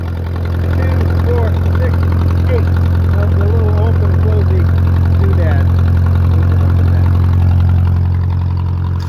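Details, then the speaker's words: 1967 Case Construction King 530 tractor after fixing a stuck valve that caused a misfire: steady, even low idle thrum with no stumbles or missing beats; sounds like a happier tractor on every cylinder. "let's go just climb in the old girl and see if we can get a [Music] [Music] starter that sounds like a happier tractor"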